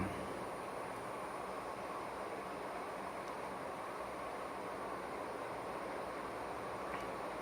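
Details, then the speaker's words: Vintage Silkon 48-inch ceiling fans on high speed: constant rushing roar with rumble under the airflow, no rhythm change; worn motor bearings roaring. "But here we go. Let's put them on high. Buddy. Hear them bearings roaring"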